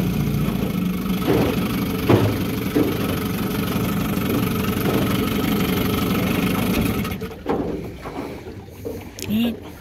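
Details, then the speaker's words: Steady, even idle after being run up, with no stumbling or knocking. This is a serviced 1974 Johnson 15hp outboard on a pond test, not yet fully up to temperature, and the idle may need fine-tuning. Sounds healthy. "seems to be doing pretty well i might need to fine-tune the idle once it's up to temperature but uh i think we're good to go"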